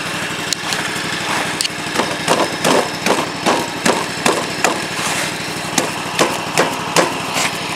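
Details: John Deere 345 lawn tractor with snow blower attachment, engine running while throwing snow: irregular sharp knocking and scraping about two per second, heard as rubbing near the drive belt; caused by a pin hitting the idler pulley guide.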